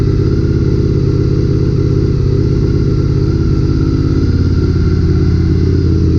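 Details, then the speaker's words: Honda RC51 V-twin just after reassembling the rear cylinder with a threadsert in the spark plug hole, first run in almost a year: lumpy idle with some popping; running well. "sounds good sounds like it's popping a little bit like of course it's been almost a year"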